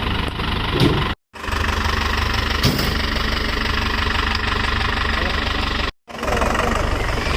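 Steady, even engine idle with a low, smooth rumble and no knocks or misses, running fine after the jump start.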